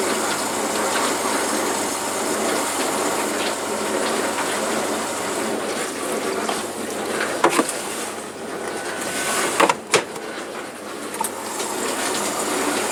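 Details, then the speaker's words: Bosch Logixx washing machine on rinse, filter found black with hair clips, possible burning smell, later shows E02: steady rushing water over pump hum with clanks as it stops then drains again; cause unclear. "Right, it's now stopped draining. Oh no, we're draining again."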